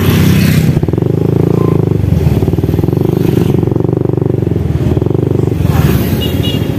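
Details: Honda Wave 100 motorcycle engine reported as noisy, checked with small single revs: a rattly clatter throughout that rises with throttle; the cause is still unknown.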